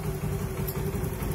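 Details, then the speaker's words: Honda Beat FI scooter that was totally dead, with no starter, indicators or fuel pump hum, idles with a steady even low putter while warming up, after repair; cause was a broken wire in a hidden area. "Baik, biarkan dulu sampai panas, Pak . Oke. Jadi, masalahnya adalah kabel yang putus, dan kami sudah menemukannya."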